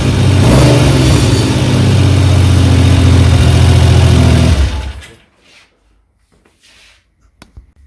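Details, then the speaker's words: 1975 Triumph Trident T160 three-cylinder after full restoration, not fully warm, runs with a strong, even beat that pulls cleanly for several seconds. It now runs perfectly; float heights were returned to original. "but it now is a completely different engine it runs perfectly"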